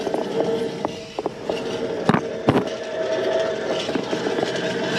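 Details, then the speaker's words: 2015 Dodge Journey on the lift, rear hub turned slowly: gritty scraping rumble with irregular sharp pops, a worn wheel bearing. "oh yeah found the wheel bearing that's nice shot"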